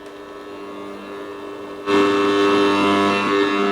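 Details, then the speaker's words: 1937 Telefunken Torn.E.b. WW2 receiver after repairing a missing ground connection: hiss jumps up abruptly then holds steady with faint tones, no more tapping or shorting crackle; receiving normally. "H that's it look no more tapping sound right it doesn't sound like it's shorting out and we have a lot more noise which probably indicates that this radio is working"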